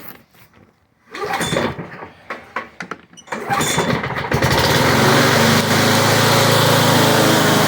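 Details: Toro Super Recycler mower left outside for years, after freeing seized engine, cleaning corroded carburetor and replacing holed primer bulb; a few pulls and sputters, then steady, even run with constant tone: normal running.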